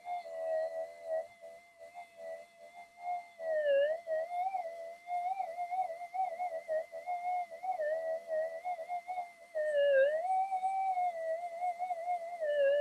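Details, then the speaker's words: Minelab GPX-4500 metal detector reported to go crazy when warm, antiphase coils in mono mode, board heated to about 40–44 °C: threshold warbles, dips and jumps in pitch instead of steady hum; returned to baseline but noisier, cause not yet found. "even though I've heated it up it's come down to Baseline again but she is a little bit noisy it actually has got noisier"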